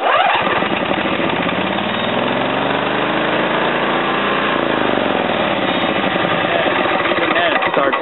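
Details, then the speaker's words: Small tractor engine started with the control at full range after adjusting it set to fast per the directions: pitch climbs to a high screaming rev, then sags back, with no throttle control; over-revving, cause unclear. "starts to rev up high, so I have no idea. Any ideas? Let me know."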